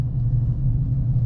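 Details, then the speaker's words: 2015 GMC Sierra 1500 Denali on 295/55/20 Nitto Ridge Grappler tires after 2 years, cruising: steady low hum and rumble with no beat or pitch change; ordinary road noise from aggressive tread, quieter than Mud Grapplers. "you can hear these tires kind of humming you can hear the road noise"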